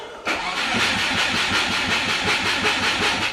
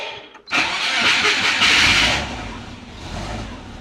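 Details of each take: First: Turbo Subaru with DIY exhaust manifold, running rich on startup after a massive exhaust leak: steady starter cranking at about three beats a second that never catches; spark plugs wet and fouled. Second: Subaru with DIY turbo exhaust manifold, after cleaning fouled plugs and re-enabling injectors: quick crank and catch, brief loud rise, then steady low idle with some vibration; no massive exhaust leak heard, needs a little tuning.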